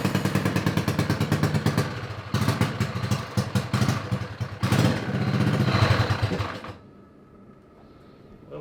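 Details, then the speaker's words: Honda 5HP overhead-cam engine on a yard go-kart, carburetor cleaned: engine pulses as it revs, then fades away after about seven seconds instead of settling, so it will not idle; governor suspected of pulling the throttle up, possibly linkage not hooked up right. "We've encountered a strange problem, and that is the engine does not want to idle."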